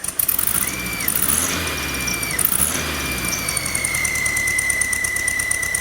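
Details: Volkswagen under 1000 miles after rebuild, running rough at idle: thin whistle that swells and fades with each throttle blip over idle; owner suspected bearing but believes intake manifold vacuum leak, very certain it is not the belt or alternator.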